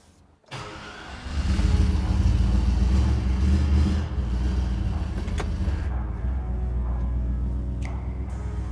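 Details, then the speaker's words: 1964 Chevrolet Chevelle revived after sitting 5+ years: catches, revs, and settles into a deep, even V8 rumble under background music. Runs smooth and healthy. "good here we go runs pretty smooth um i think we did something right"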